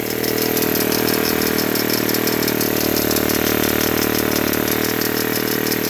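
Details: Ryobi S430 4-cycle running steadily with a sharp rapid click about four times a second following the engine; annoying clicking, cause unknown.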